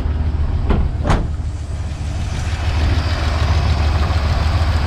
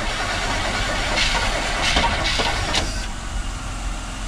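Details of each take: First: 1977 Chevrolet C10 small-block V8, first start in possibly years after sitting, run on choke: low, steady rumble with an even beat and a couple of stray clicks early on. Normal idle; a noise later appears when rpm drops. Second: 1977 Chevrolet C10, small-block V8 being started after sitting possibly many years, choke in use: starter churns the engine at an uneven labouring rhythm for seconds without catching; cranks but won't fire.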